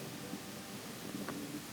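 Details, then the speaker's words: Kobe range hood, the left of its two fans, which is not the noisy one: a steady, smooth rush of air with no grinding or rattle, judged okay. The other fan got noisy after roof water dripped in, with bearings suspected. "see how this one sounds this one i think is okay these are the turbine fins spinning it sounds good sounds smooth i think that one's alright"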